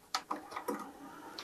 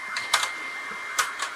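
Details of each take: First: Technics auto-reverse soft-touch cassette deck from e-waste, before repair: a few light, crisp clicks as the door releases, then auto-closes smoothly when the tape is pushed in, if a little slow; normal door operation. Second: Technics tape deck from e-waste with a 3D-printed replacement gear, deck two tested: two sharp mechanical clacks over a faint whir and no playback, the transport never engaging because the drive belt is off its pulley.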